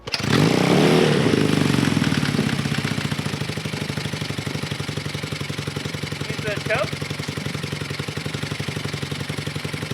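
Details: Barn-find Honda CB200T twin, first start after an engine rebuild with carburetors, mufflers and chain refitted: catches with a brief rev, then settles into a steady, even idle with no knocks; running healthy.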